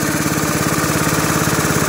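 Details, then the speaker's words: Honda GX160 driving a Ridgid 90135A air compressor, carb cleaned and serviced, bullwhip throttle control lowering rpm as tanks pressurise: fast, even single-cylinder firing, no knocks or misses; normal running. "as it should so once the tanks build pressure it pushes that piston which then pushes that cable and lowers your throttle this is working as intended guys"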